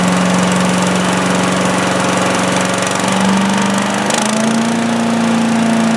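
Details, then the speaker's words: Predator (Harbor Freight) chipper/shredder, 212cc gasoline Honda-clone single-cylinder, started on choke with the throttle near high after a won't-start repair; it had very little oil. Steady run, pitch stepping up smoothly twice as the throttle opens, no stumbles; runs normally. "Yep, it runs. Easy one today, right?"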